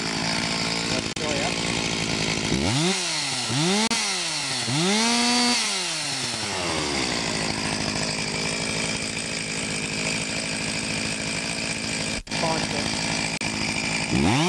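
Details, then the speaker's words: Stihl MS 361 chainsaw after replacing the faulty ignition coil (rev limiter): quick blips then a steady high full-throttle scream without sagging; full speed restored. "So, I can get full speed now out of it. Not winding down like we did in the previous uh video."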